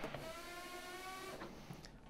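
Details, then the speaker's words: Treadmill stomp test with machine running after belt alignment: belt stalled by foot while motor whine continues with light rubbing hiss; front roller slipping shows belt too loose, tension needs increasing. "you can hear when it stalls you can hear the front roller is still slipping which indicates that the belt is too loose"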